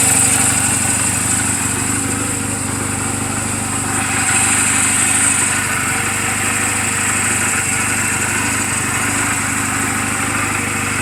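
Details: Reference sound of a healthy 2007 Honda Rebel 250 and its valves, idling in neutral just after an oil change and valve clearance adjustment; light, steady, even putter with no ticking or misfires. Mechanically sound, only cosmetic flaws. Normal idle.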